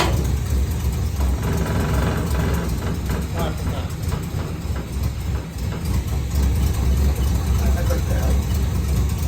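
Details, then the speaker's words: Holden HQ ute V8 idling after fresh oil change, exhaust refitted and alternator wire fixed: deep, steady, even burble with no ticking or missing, some burn-off on the manifolds; runs sweetly. "Listen to this thing. It's burning off a bit on the manifolds, but this thing's an absolute sweetheart now."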